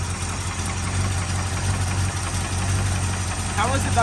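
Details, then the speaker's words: Rescued front-yard Ford Bronco V8, fed fuel through the carburettor bowl breather and started via ignition and starter solenoid, fuel tank likely rusted: steady even low idle, no misses, knocks or hunting; normal idle. "valuable way seems to run and idle better than any of the cars we actually drive"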